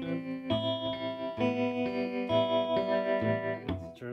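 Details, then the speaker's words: Early-1960s Davoli D531T tube amp whose tremolo did not work at all, heard after the whole tremolo circuit was replaced: guitar chords pulse evenly at about 2.5 beats per second, so the tremolo is now working properly. "while the whole tremolo circuit has been replaced i have to catch some of the leads a bit shorter but can you hear it can you hear it"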